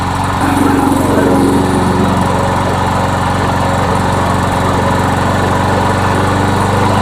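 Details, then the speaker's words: Rebuilt trash-find MTD lawnmower engine after bending speed tab to raise rpm, no load: fast but uneven, occasional coughs and hiccups, bucking; owner suspects weak carburetor spring tension. "Now it sounds like it's running better. Still hiccuping and coughing here and there. Oh yeah, it's bucking."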